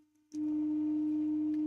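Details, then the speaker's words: Pandora's Box 3D printer with BigTreeTech M8P, EBB36 CAN bus and Cartographer, during an input shaper resonance sweep; a loud, steady single-pitch frame hum at about 103 Hz, normal test behaviour. "We're at 103 hertz, so it's quite loud. You guys could probably hear that pretty good in the background humming away."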